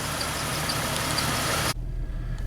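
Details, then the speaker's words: Jeep 4.0 six-cylinder on test drive after new exhaust manifold, radiator and fan clutch: loud rushing cuts off leaving a low, steady, even engine hum with no ticking or exhaust puffing; running good and quiet. "Let's take it for a test drive. Running pretty dang good and quiet."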